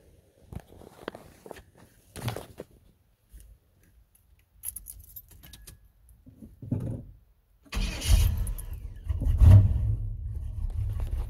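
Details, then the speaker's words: 1991 Chevy Silverado C1500, rebuilt 350 V8 with stock bottom end and Summit cam, new carburetor with no choke: after handling noise it fires and settles into a lumpy, uneven low rumble, a rough cold idle without a choke. "i was a little weird at first because this carburetor that i just put on it doesn't have a choke electrical or manual so um i really had to be on my game tuning it to keep it"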